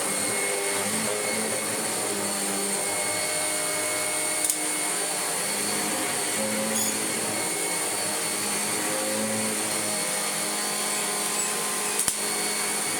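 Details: Kirby G5 vacuum after full refurbishment with all-new genuine parts (belt, brush roll, bags), first switch-on: steady even high motor whine with constant airy rush, no knocks, rattles or pitch wobble; normal running.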